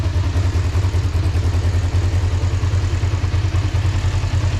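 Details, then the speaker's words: 2005 Kawasaki Ninja 500R revived after sitting over 10 years, with new carburetors, tuned and synchronized, warming up: steady, even twin-cylinder idle with a regular exhaust beat, no knocks or misses; sounds really healthy, a normal idle. "Sounds really good, man, with those new carbs and that tune and synchronization. It sounds really healthy. Super healthy. Yeah, it's a very happy bike. Very happy bike."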